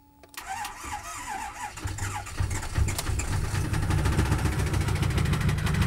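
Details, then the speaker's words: 6.4 Power Stroke diesel fired up: cranks, catches and settles into harsh uneven clatter about three beats a second; rough running, rod knock suspected. "Oh, man. That didn't sound good at all."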